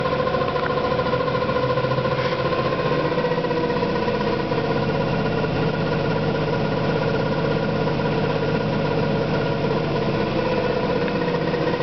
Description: 14 days old Electrolux washing machine, already fucked up and making strange noise. Shit.